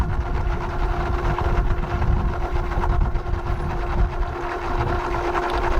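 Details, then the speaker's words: Boat generator oil change at about 1200 hours; the sump holds about 4 liters. An electric extraction pump sucks the old oil out, a steady motor hum with a fixed mid tone over a low gurgling rumble. Pump running normally. "Oh, here comes the oil. We should open it up. It's there. Oh, I can hear it sucking."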